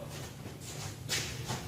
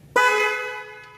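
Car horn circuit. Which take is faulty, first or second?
first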